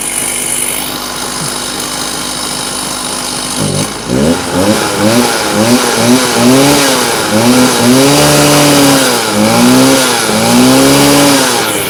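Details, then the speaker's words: Stihl TS350 cut-off saw, first start after rebuild with new cylinder, piston, crankshaft bearings and seals, compression 125, full choke: revs surge and sag in wavy swoops about twice a second instead of holding steady; bogging, needs carburetor tuning. "uh excellent we have a working saw um what i'm gonna do now it's just a bit boggy in places i'm gonna adjust a few things"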